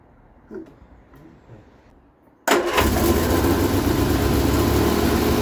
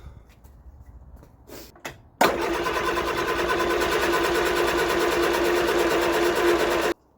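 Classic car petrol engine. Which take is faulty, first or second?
first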